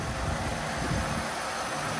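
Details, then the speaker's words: Old Cadillac running with number one fan on: steady, even low rumble with no knocks, misses or hunting; smooth, healthy idle. "Otherwise, it sounds good. It's running good."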